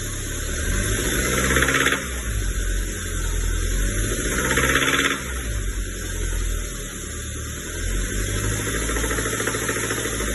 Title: Acura 2.3 turbo, knocking sound ?!?